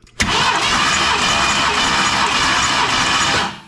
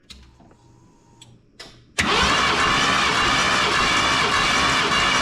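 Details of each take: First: 1990 Ford F250 plow truck, 460 big-block V8 that runs poorly, cranking during a compression test. Steady, even cranking for over three seconds, no drag or hesitation; normal starter speed. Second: 1990 Ford F250, 460 big-block V8 that runs poorly, cranking with all plugs out during a compression test, cylinders about 150 and 140 psi. Starter spins about three seconds with an uneven, galloping lope; cause unclear.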